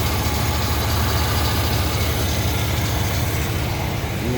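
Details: 1976 Cadillac V8 at warm idle with AC on: steady, even idle with no stumble or skipped beats; firing on all cylinders.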